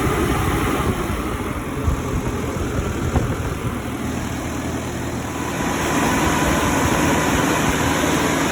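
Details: Cummins 3.3 QSB diesel from a stump grinder, first start after rebuild with pistons, rings, rod and main bearings and head gasket (was blowing oil from the blow-by tube), Insight connected: steady, even idle, smooth low rumble, about four firing pulses a second, no knocks. Normal idle.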